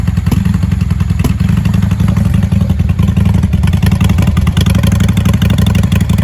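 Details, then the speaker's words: 1995 Honda Shadow 600 VLX (VT600CD) V-twin, cold start without choke after carburetor tuning: deep, even thump with steady firing beat, no misses or ticks; sounds really good, normal running before warm-up. "She sounds really good. I'll let her warm up and I think I'm going to take her for a spin."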